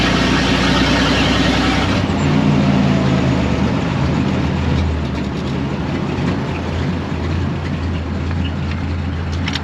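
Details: 1926 Maxim truck, first start after ignition, oil pan and fuel system repairs, new belt and flushed cooling: cranks and catches, then settles into a steady, even idle with a low rumble and no knocks or misses.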